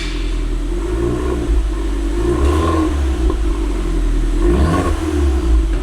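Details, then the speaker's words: Damaged Fiat Punto Abarth long unused, many warning lights on, engine not yet warm: engine picks up cleanly on two blips and settles to a smooth low drone with a slight vacuum-like whoosh, stock exhaust, no knocks or rattles; normal revving. "Vas-y, accélère juste pour voir le Ah, le bruit est bien."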